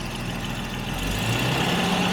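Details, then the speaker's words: Jaguar XJ12 V12 after a fix for a misfire on slow revving that was loading up the plugs. Even, steady idle that picks up cleanly as revs rise, no stumble or miss; smooth throttle response. "yeah and it picks up right away oh it's running beautifully this is how i remember this thing runs this v12 and this car it runs amazing"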